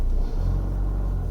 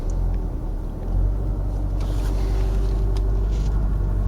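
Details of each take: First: 2009 Ford Mondeo 1.8 Duratorq TDCi diesel (QYBA) at 1500 rpm after repair: a steady, smooth low rumble without the earlier shaking or misfire; the fault was the number three injector. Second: 2009 Ford Mondeo 1.8 TDCi Duratorq QYBA diesel held at 1500 rpm fast idle: deep, uneven rumble with knock/misfire, shaking, no fault codes in IDS; attributed to a faulty injector.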